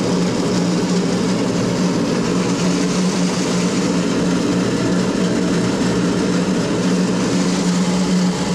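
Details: SIPMA roller grain crusher after a DIY repair welding short bead pieces onto a worn roller, which previously would not draw in corn: loud, even rumble with a steady low hum and constant grain grinding, no knocks or surges. Tightened rollers crush corn normally.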